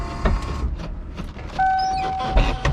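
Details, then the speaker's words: LSA-swapped Mustang on first drive: irregular clicky buzzing bursts then a thin steady electric hum as the door lock actuator cycles on its own, cause unknown; pushing the lock down stops it. "I don't know why it does that with the lock. So weird. But when you push it down, it stops."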